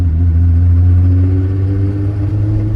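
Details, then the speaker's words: Test drive in rain right after a new axle install, with all axle bolts and the 30mm nut tightened. Only a low drivetrain hum rising with speed and wet tyre hiss are heard. The earlier noise is gone; the throwout bearing or the other axle were the fallbacks. "I wasn't even paying attention to the sound, but I don't hear it. No, it's not in my trunk. That's fine. I hear no sound."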